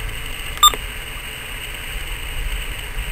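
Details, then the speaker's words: Uniden Bearcat BC796D scanner on firmware 3.60, squelch turned fully off then fully on, volume up: steady hiss never mutes and a short high beep sounds on the data channel; squelch not muting, cause suspected, not confirmed. "Still having that problem with the squelch. I'll turn up the radio here and you'll be able to hear it."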